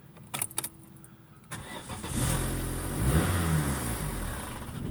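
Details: 2002 Vauxhall Corsa 1.2 with no dash lights and no speedo: a few clicks, then the starter turns the engine steadily at about three beats a second, but it never catches; cranks but won't start.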